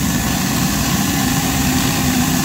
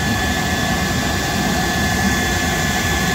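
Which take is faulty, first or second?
first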